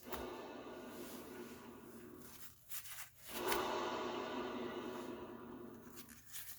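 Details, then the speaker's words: Honda Civic/Integra passenger rear hub, spun by hand: a rough, gritty rubbing noise. A worn hub bearing is suspected and the hub assembly is to be replaced. "so the bearing is a little noisy so i'm thinking this hub is gone"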